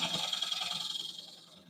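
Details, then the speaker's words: Wood lathe bowl turning with a carbide gouge: even, unbroken hissing shave with no stuttering chatter, tailing off as the pass ends. Smooth continuous cut in solid wood. "see, it's not breaking up. It's continuous."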